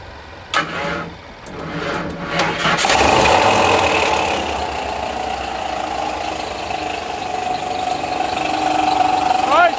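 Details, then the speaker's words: 1994 Ford F-150 that catches after a few cranks, then idles with an uneven knock about three per second. Owner doubts it is engine knock and suspects a failed harmonic balancer; unconfirmed. "off so uh here's my question is what the hell is that noise it did not sound like the engine knocking to me"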